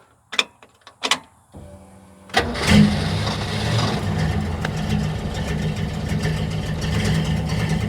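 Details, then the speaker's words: Ford Falcon after a new stainless exhaust with J pipe: the engine catches after a few cranks and settles into a busy idle with a raspy ticking puff from the exhaust manifold leaking under the throttle body carburetor area. "come on breathe you can obviously hear that the exhaust manifold is leaking from underneath the throttle body carburetor area which is a bummer"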